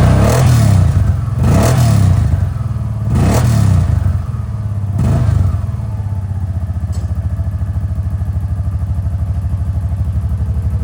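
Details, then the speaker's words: 2023 Kawasaki Teryx 800 4 S SE with new Whiskey Bent Motorsports performance exhaust tip: a few throttle blips then steady even idle thump, a little throatier; normal running. "all right so a little throw deer not a lot but I mean you don't really want a lot"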